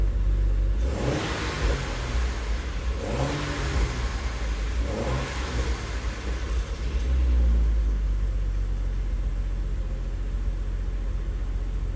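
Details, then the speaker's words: 2011 BMW 135i N55 six-speed, just after new spark plugs and coils and a 5W-40 oil change. Three quick revs settle to a low, even idle with no stumble. The idle is better than before. "definitely idle's better than it did so i'm happy with that"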